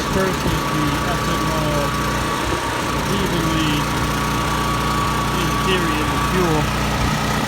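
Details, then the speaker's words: Predator 3200 generator, about six years old, first start in 2–3 years, fuel not drained: loud steady drone with slightly uneven beat, rough running; owner suspects something in the carburetor bowl, plans to remove and clean it. "fin does have does have something in that carburetor I have to take that bowl off and clean it out right here the bowl"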